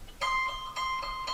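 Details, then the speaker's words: DeWalt 788 scroll saw after replacing the stripped upper blade chuck thumbscrew assembly: plucked, tensioned blade rings out with a clear, bright musical note; blade tension is set correctly. "ah there's our ukulele nice we're still not done though"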